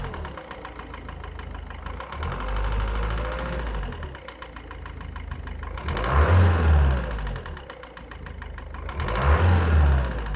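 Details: Mercedes Vito W638 engine knock: a steady tapping runs through the idle and gets buried under two short revs, with no clear cause identified.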